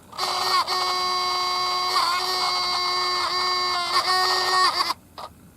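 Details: Sony RX100 compact camera that previously worked fine produces a steady high-pitched buzzing whine for about five seconds, then cuts off; abnormal vibration noise, later fixed easily.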